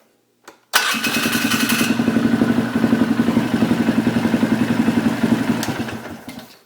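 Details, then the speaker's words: Polaris Sportsman 500 after carburetor rejetting, airbox lid off: short crank, fires at once and settles into an even thumping idle about four beats a second; starts fine. "okay seems to start up fine look at that even has a key hook"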